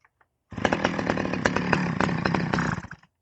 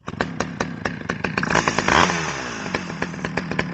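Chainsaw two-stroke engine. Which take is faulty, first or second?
first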